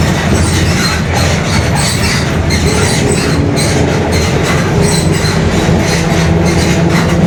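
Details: Mascarello GranVia Midi bus on Mercedes-Benz OF-1721 Bluetec 5 chassis, built 2021, cruising in urban service; steady low drone under road and cabin rumble with a faint hum, differential growling.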